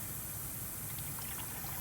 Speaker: you're gonna listen for the water level you're gonna hear it go down you can't do anything until you hear that go down